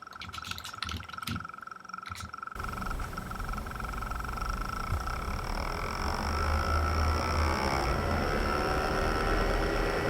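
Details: iMac fan run to maximum speed with fan-control software: rough, rattling whoosh from a failed bearing in the optical disc drive fan; the other fans run smooth.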